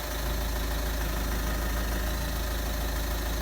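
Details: 2009 Ford Mondeo MK4 2.0 TDCi 140 hp 6-speed after clutch and dual-mass flywheel replacement, reversing: steady diesel idle, smooth low drone, no flywheel rattle or knock.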